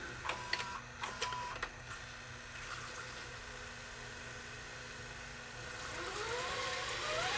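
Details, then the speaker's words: Philips VRB615 VCR after checking grease, full rewind: a few mechanical clicks, then a smooth, even whir rising in pitch as the tape spools up; normal tape rewind. "Fast forward search works. Reverse search works. And we'll stop and we'll go to full fast forward. And full rewind."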